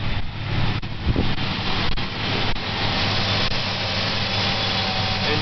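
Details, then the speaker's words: 1997 Ford Ranger that sometimes starts hard and runs as if choked, recorded at the rear by the exhaust: an uneven idle with an irregular putting chuff and possibly some backfire. The owner is unsure whether it is air, fuel or spark and notes mismatched coil wires. "exhaust is kind of rocking back and forth and it's kind of putting and putting r a little"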